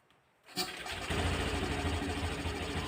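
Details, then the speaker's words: 2021 Honda Scoopy FI automatic scooter, after CVT cleaning and cover refit for judder/shake on initial pull-away: starts quickly, blipped revs, steady buzzy idle with extra intake hiss from the air filter not yet installed; engine sounds normal. "kita coba blayer blayer ya ini untuk suaranya seperti ini ada bunyi cheat juga ya itu efek dari filter yang belum dipasang"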